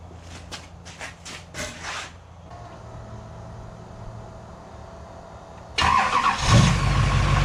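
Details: GM LMM Duramax diesel truck, first start after engine replacement: a few cranking bursts, a pause, then fires and settles into a strong, even diesel clatter; healthy start.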